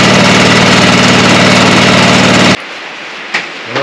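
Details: John Deere 425 small single engine after new spark plugs and carburetor fuel solenoid fix, electric fuel pump; runs loud and steady with regular firing pulses about four per second, then cut off; healthy.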